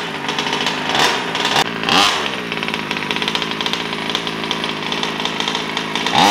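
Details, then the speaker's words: New Taylor RC 35cc two-stroke in a DBXL 2.0 RC car with Bartolone Racing exhaust and air filter, first-start heat cycles before full throttle: crisp, buzzy rasp rising and falling with throttle blips, clean and even. Normal running. "i'm doing a few heat cycles before i do full throttle sorry the ice um but she sounds great she sounds nice"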